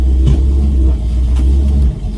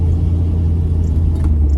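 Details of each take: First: Pontiac Firebird restoration on its first test drive, accelerating and swerving to load the axle: deep, steady, grumbly growl from the rear; diagnosing differential versus axle bearing, finding is a rear wheel bearing growl. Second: Pontiac Firebird after rear axle bearing replacement, on a test drive: only smooth steady low road rumble while accelerating and coasting, with the earlier grumbly growl from the rear axle now gone.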